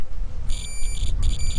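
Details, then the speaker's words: Multimeter set to continuity gives a steady high-pitched beep when the probes touch, cutting when contact breaks. Meter check before testing the disconnected glow plugs on a hard-starting Mercedes-Benz W124 diesel. "okay so the multimeter you got a several position to put it and if you touch this you see nothing happen okay but there's one position where it makes a sound"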